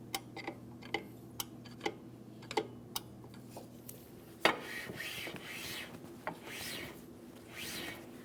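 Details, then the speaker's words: 2003-2008 Toyota Matrix rear drum brake after new shoes and adjustment, drum hand-spun: it turns freely with light, even scuffing and a few adjuster clicks. This slight shoe drag is the correct adjustment. "Now you can tell that I still spin freely. I do have a slight amount of drag here. That's exactly what I'm looking for."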